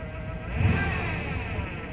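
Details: 1999 Chevrolet Suburban 1500 after spider injector replacement: engine revs up and down smoothly with no stumble, hesitation or popping, running clean with no misfire.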